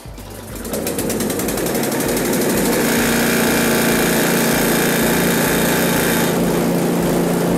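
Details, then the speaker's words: One-year-old Husqvarna ST224 snowblower whose fuel was left in over winter, run on choke, half choke, then off: a small single running rough and hunting, surging once the choke is off; a lean surge is suspected, with carb cleaning planned. "i will have the choke on i'll put it to halfway and then i'll put it off so you can see it it just wants to surge after the after the choke is"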